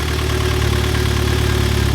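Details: Freshly rebuilt Mitsubishi Evo X four-cylinder, just started after long cranking: a low, even idle with no ticks, knocks or hunting. A check-engine light came up; the car runs great.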